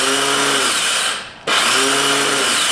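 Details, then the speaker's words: 2002 Yamaha Warrior 350 quad, bought as a non-runner; starter motor gives a high electric whir that spins up, fades and spins up again with no engine cranking, turning backwards and never engaging, so the engine won't turn over. "Oh, there we go. Oh, it doesn't grab the engine though. Darn it."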